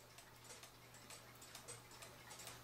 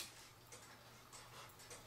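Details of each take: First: Cuckoo clock after bending the wire behind the pendulum wire to level the movement: crisp, evenly spaced ticks about two per second; clock in beat and running properly. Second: Cuckoo clock hung after cleaning and oiling: quiet ticks land unevenly, tick and tock spaced differently; out of beat, fixed by bending the back wire behind the pendulum wire to level the movement.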